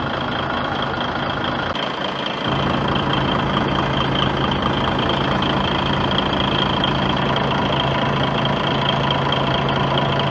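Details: Rebuilt DAF XF95 truck diesel with 1.8 million km, first start after full assembly following overheating and heavy oil consumption, all fluids filled: a deep, steady idle settles after start with even clatter, no knocks or misses; healthy rebuilt engine.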